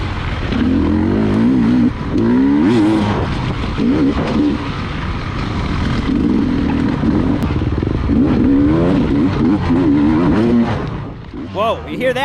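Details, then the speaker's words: 2020 Beta 300 two-stroke racing a hare scramble: revs surge and sag unevenly, pitch dropping under load instead of pulling cleanly; bogging from overly rich jetting. "I mean, I hit these kickers, and the bike would just dog because it was so rich. The jetting is way too rich."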